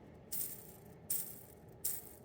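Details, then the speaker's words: Old, long-used skateboard wheel bearing spun by hand off the board: three spins, each a loud, dry, gritty rattle that fades fast; noisy bearing that should be cleaned and greased or replaced. "That's kind of loud. I don't think it should be that loud."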